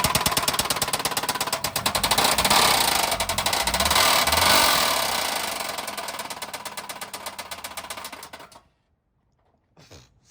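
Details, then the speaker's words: Newly bought 80s-front-end Volvo started briefly, cold: sharp regular metallic knocking for about eight seconds until shutdown; owners suspect motor mount or valve lash and think it's fine; cause unconfirmed. "So like, I think that's just a motor mount. I think it might be like a motor mount or just like the valve lash might just be a bit I think it's fine."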